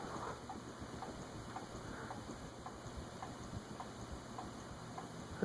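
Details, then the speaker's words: Mistral ceiling fan by TAT/Wing Tat with circline fluorescent lamps, bench-tested on high speed with glass fitted: steady hum with soft regular knock about twice a second, absent in earlier test without glass, glass ruled out; cause unknown. "something is knocking too the rest of the way to high6 it's just under the radi current draw wonder what's knocking it wasn't making that sound when I tested it without the glass on it it's not the glass I'll have to figure that out"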